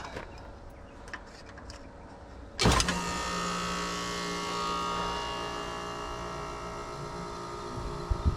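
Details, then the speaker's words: Replacement Evergreen ECM condenser fan motor, old motor had stopped then turned very slowly: after a brief hesitant start it settles into a smooth, even whir with steady hum, expelling hot air; normal operation. "look at that it takes a second to start up but uh after that it's working just fine now it's expelling the hot air"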